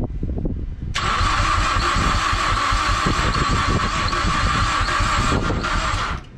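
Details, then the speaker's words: Mazdaspeed6 after new ECU and all-wheel-drive module programmed via FORScan: rapid cranking about five seconds with faint lumpy beat, trying to kick, pops and burble backfires in exhaust every few cranks; no catch, cranks no start. "Well, guys, I feel like we're getting close, because I've never heard it try to kick like that a couple times, and we're getting more pops and, you know, burble backfires in the exhaust every couple cranks."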